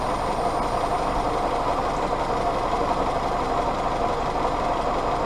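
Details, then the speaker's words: Willys CJ2A Jeep with Kaiser L134 Go Devil four-cylinder, after timing tuning, warm (exhaust about 200, head 140, hoses about 115–118): steady, even idle with a constant mid-pitched rumble and no knocks or misses. Normal idle. "I'm probably just gun shy at this point with everything that's happened but I'm pleased that it runs"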